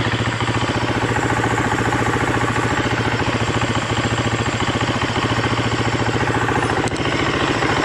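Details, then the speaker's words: 2015 Husqvarna FE350S single-cylinder four-stroke after top-end rebuild (piston, cam chain, aftermarket cam chain tensioner), warming up: crisp even firing pulses at steady beat, no ticking or knocking; motor sounds good. "Motor sounds good though."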